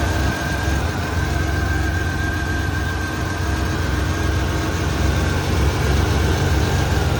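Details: 1994 Chevrolet S10 Blazer 4.3 V6, first start and drive after upper intake rebuild and timing set: steady, even idle with smooth low rumble, no knocks, misses or squeals; healthy.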